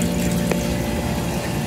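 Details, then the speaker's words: Indigo IY0696 half-dice ice machine, after board replacement, with the compressor previously not running: steady pump hum and water trickling over the evaporator, no knocks; now making ice normally. "i'm just going to watch it see what we get like i said this is really acting odd now it's making ice"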